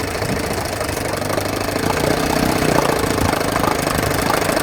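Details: 1980 Evinrude 4.5hp two-stroke outboard after carburetor rebuild, new fuel line and filter, fixed pulse tube diaphragm and adjusted float, puttering at a steady idle with an even popping beat, no stumble or die-off, running fine.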